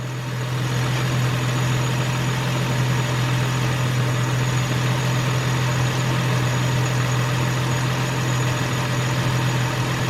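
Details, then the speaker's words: 2003 Nissan Maxima GLE 3.5 after partial engine rebuild (new pipe burning off): low even idle hum with steady pulse as the idle comes down, no knocks or misses; normal idle. "Idles. Oh, the idle just came down. Oh, goodness."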